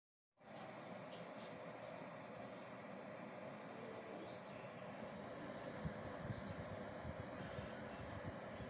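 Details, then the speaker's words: Desktop computer after repair of a rattling, humming power supply fan, oiled with a few drops of hair-clipper oil; now runs quietly with a steady soft airy whoosh, no hum or rattle. "после этого тщательно собираем все в обратной последовательности и запускаем компьютер и наслаждаемся тишиной"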